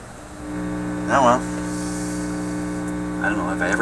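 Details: Philips 922 vacuum tube radio during troubleshooting: loud steady low mains hum with buzzy overtones, unchanging, appears suddenly after intermittent noise traced to the first IF stage.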